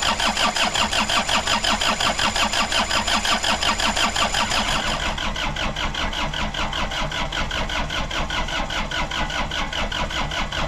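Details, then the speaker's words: Suzuki Samurai with Isuzu diesel swap, first start, battery weakening: steady starter chugging around three turns a second without catching; owner suspects air in the fuel lines, lift pump heard running. "so I think we're going to spend a couple minutes and just crank this thing over and see if we can get it to light off at all"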